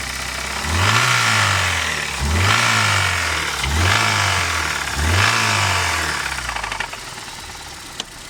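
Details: 1992 BMW 318i E36 with the M40B18 engine, after a drive: four quick throttle blips with a rattly knock that rises and falls with revs. The owner suspects a spun bearing.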